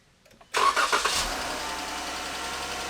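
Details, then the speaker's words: 2015 Jeep Grand Cherokee 3.6, cold start catching and settling into fast idle, then revved: light ticking in the top end, lots of engine noise coming through the exhaust; valve train tick from worn roller rocker arm with play. "you can hear the engines making a lot of noise coming through the exhaust"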